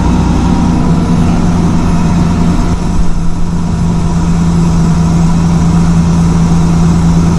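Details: 2000 Ford Ranger idling after the fuel pump replacement; a steady, even low idle with a constant hum and no misses, knocks or hunting, so the engine runs healthy.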